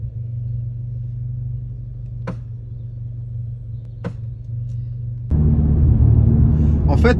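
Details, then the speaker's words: Audi S3 after an oil change: two sharp, separate clacks about two seconds apart over a steady idle rumble when turning the steering wheel to the right; front-end cause unknown, car doesn't pull. "le volant à droite g/j un craquement en fait ça fait vraiment clac clac"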